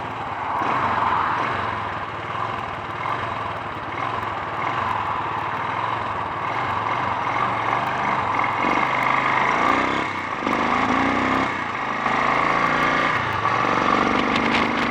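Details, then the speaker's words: Honda XL350 single, ridden before repair with a recent head gasket replacement and loose handling: uneven thumps while riding, with revs stumbling and hanging when the throttle opens instead of climbing cleanly; bogs and splutters on acceleration. "I think we've gone far enough based on both the handling and the spluttering."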